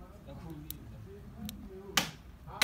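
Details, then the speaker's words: VW Polo 6N stuck in third gear, valve body solenoid bench-tested with battery power on pin 2: sharp, clean clicks each time power is touched, two strong ones about half a second apart. That solenoid works normally. "from the pin this pin number two you can hear the clicking sound so that's okay"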